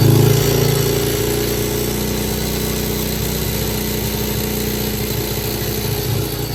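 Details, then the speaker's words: Idling single with a very loud, quick, fairly steady tick, about three or four a second, from the clutch-side case; heat shield and skid plate already removed and ruled out, cause still being diagnosed. "it has a very loud um tick coming from the this side case clutch side"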